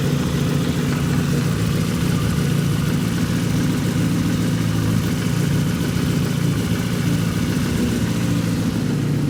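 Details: 2008 Yamaha FZ6 N motorcycle, 48,000 km, cold four-cylinder idle with fine busy ticking over a steady hum; the noise drops considerably once warm; engine ticking when cold.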